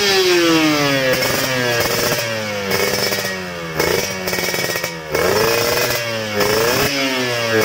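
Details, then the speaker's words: Motorcycle carburetor fitted with an oversized, fuel-wasting jet in place of the original: revs surge and sag unevenly, never holding a steady idle, and the engine dies at idle. "terlihat kurang lancar dan langsam pun langsung mati ya."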